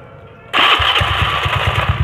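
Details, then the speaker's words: Honda Beat carburetor scooter after repair: engine catches and settles into a smooth, even idle with none of the earlier tok-tok tapping; noise was traced to a loose magnet fan boss, now fixed, running normally. "suaranya haluskan nggak jadi nggak ada yang tok tok tok tok kayak tadi nggak ada berarti bener analisa kita ada di sini"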